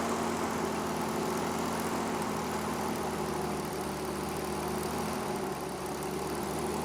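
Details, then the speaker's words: 1950 Dodge Power Wagon 4x4, revived from non-running, timing just set, started on a jump pack with choke: steady, even low rumble at idle, no knocks or misses, sounds sweet; still needs coolant and has an oil leak; normal idle. "right more coolant needed that sounds absolutely sweet pie is and nut"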